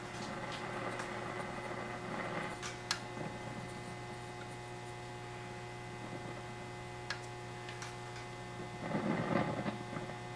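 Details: 1959 Blaupunkt Verona valve radio under restoration on a variable supply near 90–100 volts, about 185–270 mA, AM band, volume raised; steady low buzzy hum at constant level, some audio present but working poorly: mains hum.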